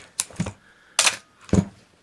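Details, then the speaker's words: Canon AE-1 Program 35mm SLR with 50mm FD f/1.8 lens, fresh battery, stepping down through the shutter speeds from 1/1000: three crisp, even shutter releases, each a sharp clack with a quick follow-up, clean and consistent; the shutter sounds healthy. "So what I thought I'd do is just step down through the shutter speeds."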